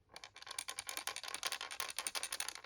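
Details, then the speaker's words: Nintendo SNES Final Fight cartridge, bought as not working and heavily corroded, shaken before opening: light, quick rattling ticks as a loose component, likely a capacitor, rolls around inside the plastic shell. "I don't know if you can hear that also something wiggling around in there"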